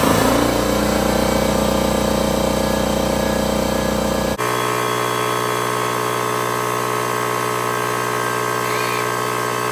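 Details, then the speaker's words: Husky 33-gallon air compressor C331H after pressure switch replacement: air sander hiss stops and motor pump kicks in with steady, even hum as tank pressure drops. Normal compressor cut-in. "so there you saw it thing is working great when the pressure"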